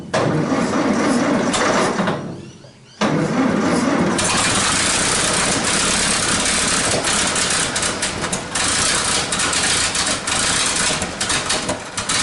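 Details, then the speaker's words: 1947 Nuffield grader parked 20+ years, battery terminal suspected after it stopped cranking: rapid uneven cranking, brief drop, then engine catches and runs roughly and loudly; electric start works again. "yeah right we've got life in it that's life that is life the electric start now works again works again"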